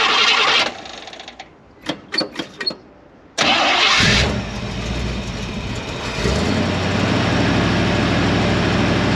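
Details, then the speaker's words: 1968 Suburban after replacing the leaking thermostat housing and topping off coolant; cranks a few seconds, catches cleanly, settles into an even steady idle with no knocks or misses. Sounds healthy. "Everything's back together, water's topped off, so now we're going to start it, run it, and let it get it to operating temperature."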